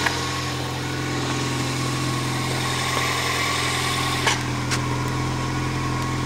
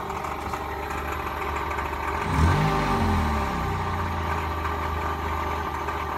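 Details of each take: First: 1999 Toyota Corolla 1.8 idling right after the power steering pump pulley fix: a steady, even idle with a smooth low hum and no squeal or whine; normal idle. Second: 1999 Toyota Corolla 1.8 idling: steady rapid knock resembling rod knock, traced to the power steering pump pulley.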